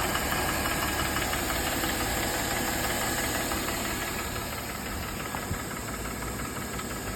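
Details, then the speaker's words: Mercedes E350, M272 3.5 V6, all-wheel drive, warming up after cold start: idle drops from about 900 to 600–700 rpm and fast hollow rattling knock appears, loudest on left side; piston slap from scored cylinders found by endoscope. "Вот уже стуки начинают появляться. Вот обороты падают. Вот уже бряканье начинается."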